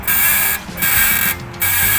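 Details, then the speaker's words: Toyota Vigo pickup: three dry, raspy creaks in a row when the steering wheel is turned, from worn, expired lower ball joints whose grease has dried out, both sides worn; recorded on a cold morning below 20 °C before the lower ball joints were replaced. "นี่คือเวลาเลี้ยวพวงมาลัยนะครับสังเกตรอนะสังเกตรอเวลาหมุนพวงมาลัยจะมีอาการเสียงดังนี่ครับเสียงนี้นะฮะ"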